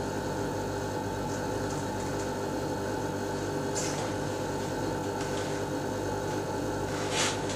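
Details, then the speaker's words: Lennox Pulse21 furnace (installed 1993) after repaired control board: clicking, then inducer/exhaust fan kicks in with steady even hum and low drone, no rattles or scraping, before blower starts; green light steady, normal startup. "I hear clicking I hear a motor the exhaust fan or something kick in on light is still steady green so that's good"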